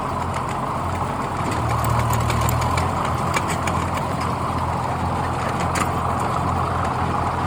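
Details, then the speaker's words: Old Ford tractor running a brush hog after servicing, mower recently sharpened: steady, even engine drone with the mower spinning smoothly underneath, no knocks or grinding; tractor and mower working properly. "sounds like she's working pretty good"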